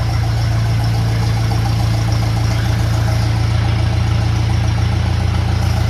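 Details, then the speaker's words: 1957 Ferguson FE35 TVO tractor after valve clearance setting and rocker cover leak fix: deep steady idle, even beat around three per second, no spitting or misfires; normal idle. "So, I'm happy with that. It sounds sounds good. No spitting or farting or misfiring."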